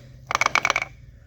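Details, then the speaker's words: Removed transfer case, set in four-wheel drive, shaft turned by hand. About eight sharp metallic clacks; owner suspects the transfer case, cause unconfirmed: clacking when turned by hand. "I don't know if you guys can hear that but there's a bunch of clacking in here"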